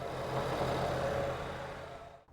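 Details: 2014 Ford Escape 1.6 L idling after serpentine belt and tensioner replacement; smooth, even idle with a faint steady hum and no belt squeal or chirp. Normal idle.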